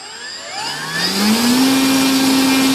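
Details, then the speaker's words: Volantex/Lanyu ASW-28 V2 sailplane with a replacement ESC, static bench full-throttle test on the stock prop. Smooth steady high whine drawing about 15.48 A, roughly 165 W; a 30 A ESC is judged fine. Healthy motor. "looks like about 15 amps bottle fifteen point four eight amps or about 165 watts"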